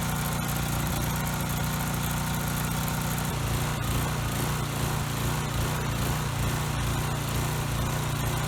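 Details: Coleman Powermate Pulse 1850 generator, which surged over a year ago, after carburetor cleaning and fuel line, filter and recoil rope replacement, running outdoors with air box back on, mixture screw at two and a quarter turns out: steady, even buzz, no hunting or surging; normal running.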